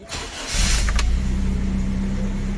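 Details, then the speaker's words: 2003 Toyota Revo VX200 with the 1RZ-E 2.0 engine, after replacing a damaged crankshaft pulley: brief crank, then a steady, even idle with the earlier clatter from the belt area gone. Charging reads 13.9–14 V. "Yun, tahimik na siya ngayon, hindi na maingay, wala nang kumakalampag sa ating engine bay. Ayos na yung ating crankshaft pulley mga idol."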